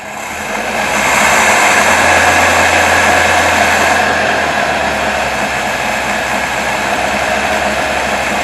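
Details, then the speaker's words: 1977 Toyota Celica after carburetor, timing and fuel pump relay work, idling around 1100 rpm with 17–18 inHg vacuum, timing marks way off (owner suspects slipped harmonic balancer): flat, dull roar that never climbs when revved; poor response. "it's not running that great at idle but you know good enough for me to get by on if you're driving it'd probably get better as i drive it"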